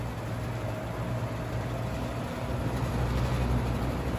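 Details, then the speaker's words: 1985-86 Lasko Super 3713 20-inch 3-speed shaded-pole box fan before restoration, motor whiny and slow despite free bearings: low hum with a buzzy rattle from the grilles vibrating. "a lot of that rattle is just the grills vibrating"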